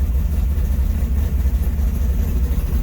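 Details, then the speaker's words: Charger (Jezebel) V8 at first fire after final assembly, up to temperature, exhaust reconnected: a deep, steady low rumble with an even lope and no ticking or knocking, seemingly louder than before; normal healthy idle. "it's good to hear this thing rumbling again i think louder and i remember being with the open zoomies yeah it sounds good"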